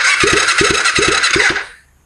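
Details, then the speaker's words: 2005 Kawasaki Ninja 250 twin, engine just reinstalled, cranked on the starter: even pairs of strong compression pulses. Full compression, where one cylinder previously seemed weak; it sounds much better. "Oh, compression. >> That was actually full compression."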